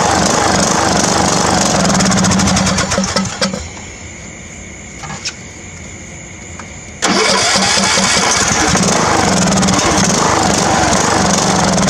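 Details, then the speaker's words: Old Craftsman riding mower after draining old gas and refilling, before carburetor cleaning: catches, runs a few seconds, falls almost to nothing, bursts back in; rough uneven running, cause suspected not confirmed. "i decided to go ahead and clean the carburetor it ran last night but pretty crappy and the inside looks pretty good"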